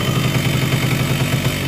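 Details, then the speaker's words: Yamaha RX-King two-stroke, block rebored a week ago but still very rough at idle; quick regular clatter knocking through the beat points to worn crank-to-connecting-rod bearing, though the rod checked fine before the rebore; connecting rod knock. "Ya, dari bunyi seperti ini lahir kruk dengan stang itu sudah kena, karena ini blok baru polter tapi bunyinya masih tetap pada kasar."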